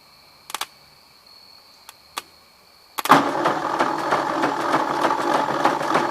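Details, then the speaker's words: 1953 Ford Jubilee tractor, engine just freed from seizure with penetrant and ATF in cylinders, cranking on a rigged battery without catching; uneven lumpy clatter about three knocks a second, owner suspects broken connecting rod, starter or hydraulic pump, possibly no spark. "s got a broke connecting rod or could be the starter oh it is I don't think it has spark although it's pulling juice B is this motor just doesn't sound happy"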